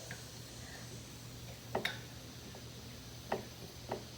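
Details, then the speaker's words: Worn factory Honda kingpin bushings on a 1986-1987 Honda TRX70, wheel and hub plate off, spindle rocked by hand: a few sharp, dull, irregular smacks from excessive play, heard before fitting replacement turned bushings. "you can hear it smacking. I don't know if you guys can see all that movement that's inside there, right?"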